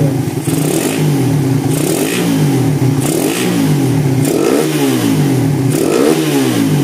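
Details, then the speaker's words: Suzuki Satria FU 2014, bored up two months earlier and sent in with a jammed kick starter, after a full rebuild: repeated throttle blips rise and fall cleanly with quick pickup and no knocking or rattle; healthy, responsive engine revving. "Ini sudah kita rapikan total."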